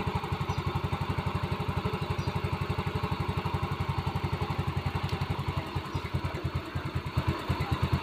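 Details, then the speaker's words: Yamaha Mio M3 fuel-injected scooter that dies when throttled: single-cylinder idle thumps steadily, then turns ragged and falters near stalling after the charger is removed; battery won't hold charge, weak battery confirmed, needs replacing. "tuh hidupnya juga sudah mati lagi berarti sudah pasti baterainya harus diganti"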